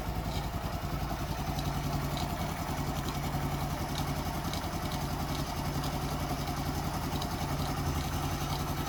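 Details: Daelim CitiAce 100 (CA100) motorcycle start test after replacing a missing engine gasket that caused an oil leak: steady, even single-cylinder beat with clean revving and no knocks, rattles or misses; normal running.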